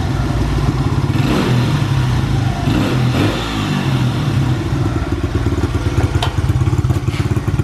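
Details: Honda XR100 single after more hours of carburetor tuning: it idles steadily and picks up cleanly on blips before settling back; it runs properly now.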